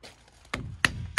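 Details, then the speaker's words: Water storage tank for fire protection, knocked by hand: three dull, solid knocks with no hollow ring, showing the tank is absolutely full, while the neighbouring tank is still empty. "as you guys can hear that thing is absolutely full this one's still empty for now"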